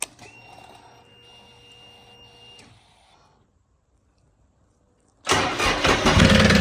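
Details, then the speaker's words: 2006 Triumph Rocket 3 triple on jumper packs, being dismantled for parts: starts and settles into a harsh, fast, very loud metallic knock at idle, seemingly from the top end; source not confirmed. "It's going to be very loud and you're going to hear a very very loud metallic uh knocking at idle or a metallic I guess I guess you'd call it a knock. It's definitely um not ideal."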